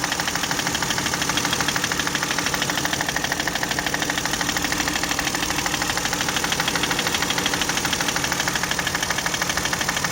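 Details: Toyota 1MZ-FE V6, knock appeared right after spark plug change, injector seal replacement and throttle cleaning; a coil had been dead on one cylinder: sharp evenly spaced knock about two per second over steady idle, loudest from the top, source unfound.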